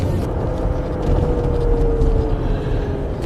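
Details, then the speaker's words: Land Rover Discovery 4 cruising around 50: a deep constant drone with a steady hum, noticeable as it slows toward a stop. The newly replaced domestic front tires were ruled out, and the mechanic doubts the gearbox; he suspects driveline wear, possibly the front differential, unconfirmed. "这种明显，慢了之后有一个嗡嗡的。对，我现在说的就是那个。我刚才担心是轮胎，你知道吗？结果我刚才过那个路不是轮胎。"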